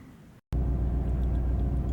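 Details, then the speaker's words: Chevrolet Silverado with no power and a recurring cylinder 6 misfire code, check engine light on, while coils are being swapped. Low, uneven V8 idle with a lumpy, stumbling beat; cylinder misfire. "I don't know if it's showing up in the camera there but the engine is running kind of rough and you've got the engine light on there"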